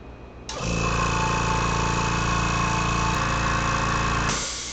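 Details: Kobalt 26-gallon Quiet Tech compressor after pressure switch replacement, while cut-in/cut-out pressure is being adjusted; starts with a sharp jump, holds a steady drone with a fast pump rhythm, then shuts off cleanly; running normally.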